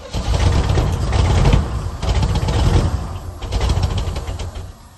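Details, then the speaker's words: 1971 Chevelle Malibu small block V8, sat 20+ years, spark restored, running on ether with a little throttle: stumbles and surges unevenly, with irregular pops and missing beats and a little smoke. Backfiring; a carb problem is suspected. "well you saw it run uh it's pretty sweet it's uh there might be something up the carb or something"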